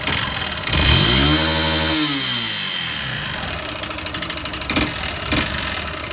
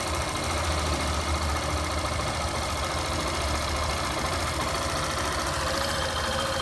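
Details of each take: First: Yamaha Fazer 150 single-cylinder motorcycle revs once, then idles roughly with a dull top-end knock, engine noise before teardown. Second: Fazer 150 single-cylinder motorcycle engine, cold first start warming up with idle slightly raised, after teardown for an engine noise: smooth, quiet, steady even beat; normal idle.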